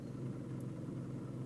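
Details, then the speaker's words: Toyota Camry warm, in drive with brake applied and all accessories and AC off, during idle relearn after a battery disconnect caused rough idle and stalling: soft steady rumble as idle rises and begins smoothing out. "start the car the car in drive leaving all the power off no ac nothing turned on and we'll let it idle it's already idling better and we've re we're resetting the computer there it's coming up the idle's coming up"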